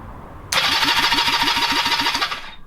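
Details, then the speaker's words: Honda CB250 scrambler build, carb and battery refitted, no tank, no fuel, no exhaust. Steady high electric whir with even chuffs about five a second as the engine turns over freely. Normal starter cranking. "so hopefully if i press this it won't stop you there's no tank there's no fuel but fingers crossed"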